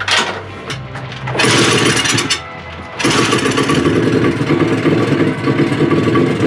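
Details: Honda CT90 after a top-end rebuild, possibly started 180° out of time: single cylinder sputters and stumbles, revs surging and dropping unevenly; rough running, with timing and a copper washer later found part of the issue.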